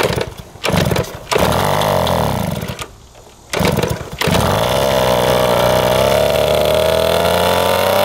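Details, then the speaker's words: 1971 Yamaha JT1 mini enduro two-stroke, first start after about 30 years stored, 133 psi compression: stumbling catches, then raspy buzzing with a strained, uneven note; exhaust found clogged with mouse droppings, possibly mouse poison. "thank you that is nasty it was clogged the exhaust with a bunch of mouse turds our poison it looks like almost"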